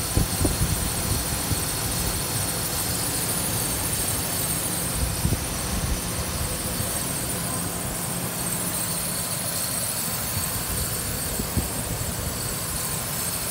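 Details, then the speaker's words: Idle of a 2008 Ford Ranger XLT 3.0L V6, 2WD, 5-speed manual, 147K miles, no check engine light; steady, even smooth low rumble, very quiet, no ticks or knocks, healthy engine. "see the motor here and let the truck [Music] dear how quiet it is no knocking whatsoever is this 3.0 liter v6 engine"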